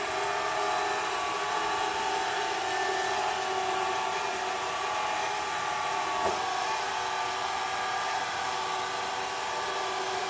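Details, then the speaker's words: Aldi Easy Home S570 robot vacuum test run after teardown and cleaning: even, airy suction-fan hum holding steady, earlier buzzing noise gone, no rattle; running smoothly. "I don't even hear that buzzing noise no more. As you guys saw in the video, the robot will try to make its own decision to turn whenever it wants to, but actually it looks like the robot is running smoothly with no issues at all."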